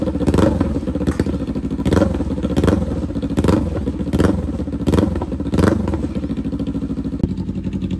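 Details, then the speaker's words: 2021 Kawasaki Ninja 400 twin, rebuilt salvage bike with new slip-on exhaust: throttle blipped about every second, revving up and dropping back cleanly with small pops on overrun; healthy, louder than stock. "that's a big difference do you hear the little Pops in this little 400 it sounds pretty good I'm not going to lie"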